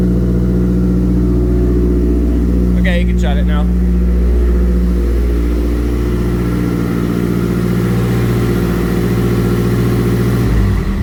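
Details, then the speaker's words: Mazdaspeed 3 turbo four-cylinder making about 19–20 psi boost, after head gasket replacement with Cometic gasket and ARP head studs: steady, smooth drone with even pulses, no knocks or misses; normal running. "um medic head gasket airfie studs installed the run a lot better i mean but we got about 20 pounds of boost coming out of this thing"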